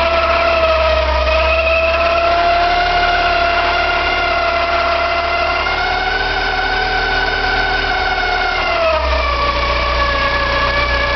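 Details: Porsche 944 2.5 naturally aspirated 8-valve engine at idle: steady high squeal over the idle, holding pitch then dipping briefly near the end; source hard to pinpoint, from the engine front, owner suspects oil pump or balance shaft.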